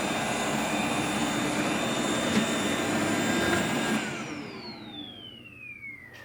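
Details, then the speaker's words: Shark RV1500ZXUS robot vacuum in cleaning mode: steady whir, then it cuts out and the motor whine falls away with a side-wheels-stuck error after about 30 seconds; debris clogging the wheel motor encoders. "when I try to engage cleaning mode on that it just uh stops after about 30 seconds or so and says that the side wheels are stuck"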